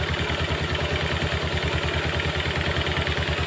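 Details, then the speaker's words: Yamaha Jupiter MX after repair of a smoking, clattering engine (damaged cylinder block and connecting rod replaced): smooth, even idle with evenly spaced exhaust pulses, open-carb intake hiss from the unfiltered carburetor, and no knocking. "karbonya enggak ditutup ini enggak ada filternya jadi kayak suara karbonya dia terasa tapi untuk mesin sangat halus"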